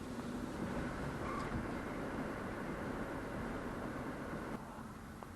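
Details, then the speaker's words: 2004 Mercury Sable wagon after front brake pad replacement for chirping, windows down while slowing, firmer pedal: only steady tyre and road rumble, no squeal, scrape or grind; problem seems fixed. "not a thing so it does seem like we have fixed the problem"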